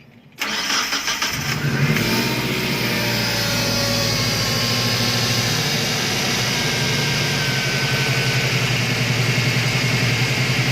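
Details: Car engine starting and settling into a loud steady low drone with busy whirring above; coolant, alternator and fan checked normal; main and rod bearings (metal duduk, metal jalan) inspected.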